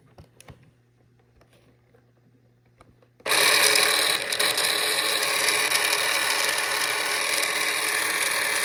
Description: Launch edition X1 making really loud noise when the motor is running.